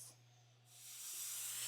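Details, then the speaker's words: Pressure canner with lid secured, canning tomato sauce and pears: a soft hiss builds into a steady high rush as steam starts coming from the vent; wait for steady flow, then time 10 minutes. "What we're waiting for next, if you don't have experience with a pressure canner, is for a steady flow of steam to come out. I can hear it starting to come, but it needs to be steady, and then we'll set a timer for 10"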